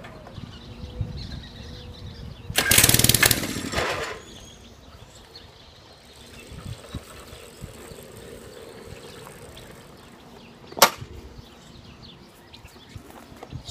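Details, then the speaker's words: Mini-bike small engine stored 6 years, fresh gas, spark plug good, starting fluid used: sharp two-second rasping burst on cord pull, then faint sputters and quiet; no-start when cranking. Owner suspects old fuel; carburetor next. "I'm going to sit y'all down over there or somewhere and uh y'll get to watch you try to struggle to get this thing to start"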